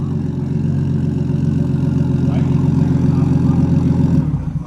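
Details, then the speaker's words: Nissan Skyline R33 RB25DET six, first start after a two-week rebuild and reinstall, MAP sensor plugged back in: smooth, even low burble with steady tone, no knocks or misses, before shutting off; normal idle. "Yeah, that sounds good. Sounds heaps better. Heaps better."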